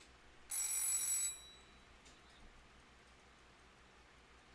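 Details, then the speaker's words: Clock serviced for the first time, a junk-shop buy from a Japanese surplus store; alarm test with a loud bright bell rattling about a second, then steady ticking; alarm works but unexpectedly rings on the hour. "that's the alarm feature this is going to be really loud so I apologize chat because I have to really test this out"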